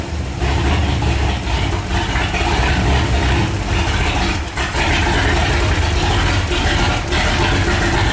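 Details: Walkinshaw Holden V8 in a VK Holden, freshly installed and started before tuning: deep, full rumble, strong and even with a couple of brief dips, no tapping or rattles; normal running.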